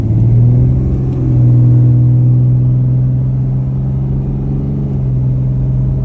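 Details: 68RFE transmission with new Borg Warner double-sided clutch packs, a new valve body and a new solenoid pack, taking off at 3/4 throttle on a stock power trans tune: a steady low drone persists; transmission noise under acceleration, source unknown.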